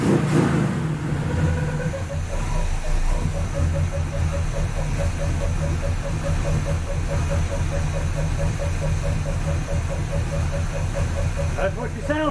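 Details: After DIY repair of a warped, leaking header collector using round rod, the engine holds a steady, deep idle with an even beat and no puffing or ticking from the header; exhaust sounds sealed, running a bit rich; normal idle.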